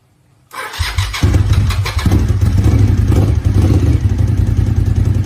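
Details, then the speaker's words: 1999 Suzuki TL1000R V-twin, 81,000 km, sat for a long time, new battery, oil unchecked, rust in tank; starter turns briefly, then engine catches and holds a loud lumpy idle, starting and running. "Alright, well, a big test to see if there's a prime. That sounds good."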